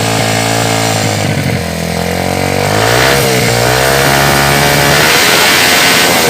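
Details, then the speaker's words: Yamaha Jupiter Z freshly fitted with new cylinder block, no air filter, run gently before teardown: brisk even single-cylinder idle, pitch rising and falling smoothly with light throttle, no knock or rattle; engine sounds good. "Tapi ini sepertinya bagus untuk di bunyinya mesinnya juga bagus ya ya kita coba sedikit dikabulnya"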